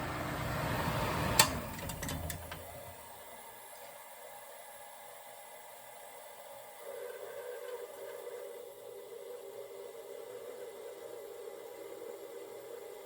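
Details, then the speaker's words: 1960s Rootes Tempair portable air conditioner just switched off: compressor stops, then faint steady hiss and trickle of R12 refrigerant falling through as pressures equalize; normal after shutdown. "Can definitely hear that R12 falling through there."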